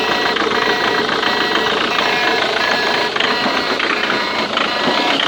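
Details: Ford Mondeo Mk3 TDCi diesel idling with a busy, fast clatter and a light tick mixed in from the injector area; the cause is unknown.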